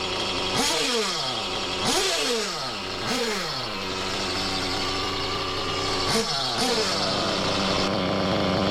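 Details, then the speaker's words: Used Reds R5T Team Edition RC nitro engine, rechecked after the clutch bell change: revs blip up and fall back with a steady airy hiss throughout; owner thinks it's the rear bearing, not the clutch: hissing noise. "Let's see now if it's still making that strange hissing noise."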